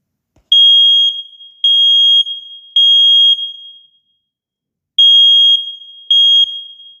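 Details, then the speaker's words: Home smoke detector on test button: loud piercing beeps in groups of three with pauses, steady pitch and volume; alarm test works properly. "the old one has a higher pitch sound and the new one has a lower pitch sound"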